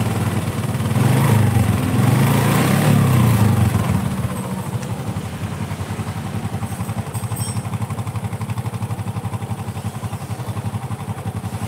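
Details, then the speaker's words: Honda Supra motorcycle at idle with loud rough timing-chain clacking. It persists after replacing the chain and bushing and is quieter when the chain is pressed taut. Blamed on crankshaft play. "Nah, ketika dikembalikan ke mode normal, hasilnya kurang bagus. Klak klak. Jika Anda tidak percaya, coba rantai timing yang berbeda , masalahnya sama saja."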